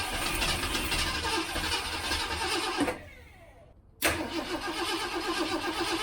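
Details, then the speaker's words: 1967 Mustang after months of sitting, fuel pump working, float bowl likely empty, on jump box: starter spins steadily but never catches, pause then more cranking; crank no start from no fuel. "Here we go. I doubt there's any fuel in the float bowl, but let's see what happens. Fuel pump's working."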